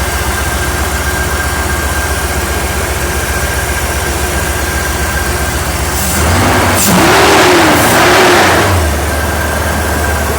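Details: Porsche 928 at idle with hood shaking, rough lumpy idle staying uneven as revs rise and fall; persistent misfire despite replaced injectors, unplugging one cylinder makes no felt difference, cause unknown.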